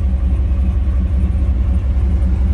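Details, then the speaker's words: Engine idling with a deep, steady exhaust rumble and only a mild lope after timing corrections smoothed the idle, with fuel consumption unchanged; the exhaust cutout is closed. "doesn't really make a difference in any of that changing it and you can hear that the idle is smoother"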